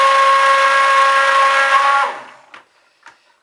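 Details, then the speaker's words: Stick blender blending in whipping cream for soap before the lye goes in: a loud, steady high-pitched whine for about two seconds that stops abruptly when switched off; cause not known. "Sounds like I've got a bunch of air in there, but I tapped the blasted thing."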